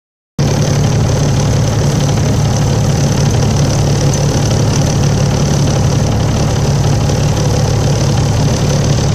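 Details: Volvo 7700A diesel city bus from Budapest (FKU-942) at idle: steady heavy drone with rough knocking undertone; weird noise these buses often make, cause unknown to owner.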